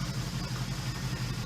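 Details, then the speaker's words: 1977 Suzuki GS550, first start after two years stored, after its usual two to three minute warm-up; smooth, even low idle with steady beat and no knocks or misses, running cleanly. "um same deal you need the same two three minute warm up every time on this bike so now better running sounds good"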